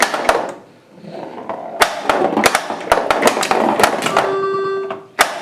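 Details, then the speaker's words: Bally-35 solid-state pinball after installing a new relay for a flipper that didn't work: crisp, solid flipper clacks fire cleanly each press with game sounds between; normal flipper operation. "so now it's working and everything does appear to be working in the game"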